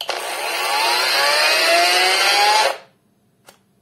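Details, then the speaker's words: Cordless brushless angle grinder, new and bought from AliExpress. It winds up to a high whine for about 2.5 seconds, then abruptly shuts off. Owner suspects discharged batteries; the cause is unconfirmed. "разгоняется и отключается при редуктор маленькая здесь судя по всему выполнена по другому"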